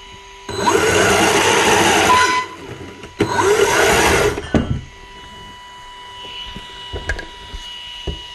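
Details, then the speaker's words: Micro e-bike after throttle mod adding a centre spring for more range past neutral: two short smooth whirring spin-ups of the small motor at full throttle, each cutting off cleanly; motor runs normally. "So I have to go back quite a bit and then you can hear it. See, so now everything is right."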